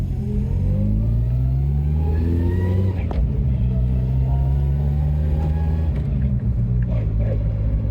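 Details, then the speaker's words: Mustang SVO with newly built G-Force T5 (2.95 gearset, new bearings and synchros), breaking in on the road: faint whine rising with road speed in the first three gears, fading in 4th and 5th; gear whine from the gearbox. "So she winds a little bit in the first 3 gears, but then gear noise goes away once you're in 4th and 5th."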